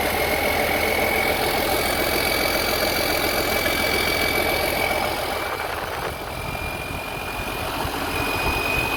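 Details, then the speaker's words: Rebuilt 3588 diesel engine after fuel lines bled, first run: steady, even idle ticking about 3–4 beats a second, no knock or miss; rockers well oiled, small water leak from a hose not yet refitted; normal idle. "sounds good it's oiling good rockers got plenty of oil on them"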